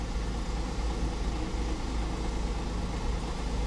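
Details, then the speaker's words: 2010 Audi Q5 Premium Plus, 145,000 miles, first start after auction purchase, low on fuel, check engine light and low oil pressure warning on: low lumpy idle with uneven beat and occasional stumble; feels like a slight misfire. "feels like it's got a slight misfire"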